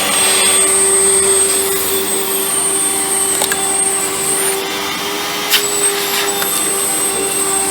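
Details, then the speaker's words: Early-2000s Dirt Devil WDD6110 (Electrolux Contour-type) vacuum, first run before refurb: steady high-pitched motor whine with fan hiss, constant; runs, slightly better now, but suction is quite bad. "we just seemed to be a little bit better now but the suction is quite bad"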